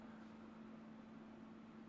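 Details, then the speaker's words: Reflow oven cooling down after baking a PCB: quiet, even fan rush with a faint steady hum underneath, no rattle or scrape. The cooling fan is running normally. "okay I hear the oven cooling down so I think we're almost ready for the next board"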